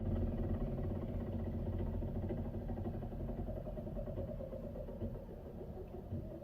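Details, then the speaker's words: Mercedes-Benz GLK350, rebuilt after crash, warming up at idle: quick uneven ticking about four times a second on top; a forgotten cable was hitting the fan or belt, moved out of the way. "I forgot to remove this cable out of the way. Cable's okay, perfectly fine. Move that cable out of the way. It was hitting on the fan or the belt."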